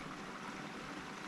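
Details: The electric intercooler coolant pump on a Chevy SS/G8 LSA supercharger swap is wired directly to the battery via a switch. Coolant trickles and gurgles quietly and steadily through the lines with no whine or grinding; the pump is running normally.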